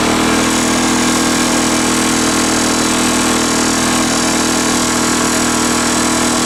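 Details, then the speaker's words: Lawn mower two-stroke with homemade big-end bearing shell, running better than before but rough and buzzy with a fast light tick about four a second; owner unsure, suspects something else in the engine, wrong spark plug, or the blade; engine ticking. "no no that ticking noise he's something else in the engine or not maybe the wrong spot plug in it I don't know"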